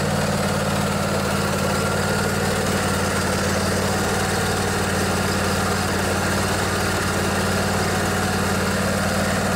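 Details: Craftsman DYS 4500 riding mower, 24 HP Briggs & Stratton Intek twin, after storage and a full service with the fuel tank cleaned and the carburetor refilled. Smooth, unbroken drone at constant speed with a low hum and no misses or knocks; running healthy.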